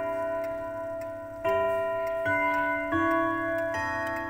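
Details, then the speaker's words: Antique pendulum wall clock during gong setting: clear ringing gong strokes about every three-quarters of a second in a quiet room, counted to 10 strikes before the hour hand is set to match; normal hour strike. "Nah, kan 10 kali. Nah, kita sudah tahu gongnya 10 kali, maka kita putar jarum pendeknya."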